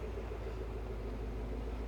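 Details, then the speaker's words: Porsche 928 GT V8 idling after a Radtec aluminium radiator install, cooling fans just turned off: deep, even exhaust burble with steady rumble, no misses, knocks or hiss; runs smoothly. "that's got the big cooling fans down here running at the moment that's why you could hear it they're just turned off now those things uh in there make quite a noise but uh that's running pretty sweety I'd say pretty smooth no problems no"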